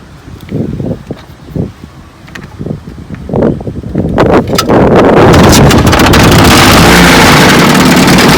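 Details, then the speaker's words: 1954 Johnson QD-15 10 HP outboard after restoration and after tightening the lock nut: light idle pops, then strong steady roar under load with no stumbling; runs great, good idle, slight hood rattle that goes away on plane. "Runs good. I'm talking about great. Idle's good."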